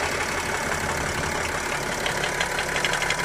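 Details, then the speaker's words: BMW X5 E70 M57 diesel at idle, heard at the open oil filler: a light even knock about three per second from the floating camshaft-driven vacuum pump coupling, which is normal and not a fault. "насколько как вокруг это нормальная работа привода слова и привода вакуумного на фото он должен включать потому что он плавают"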